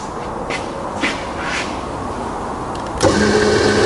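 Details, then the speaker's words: Rebuilt Bridgeport belt-drive milling machine after full service, spindle in low range and reversed: smooth, even whirring with a steady faint tone, no grinding or knocking; spindle runs quiet and healthy. "we go no it's just as quiet and lower than the low gear regardless in high although on the motor and I'm reversed now so it's absolutely fine you know"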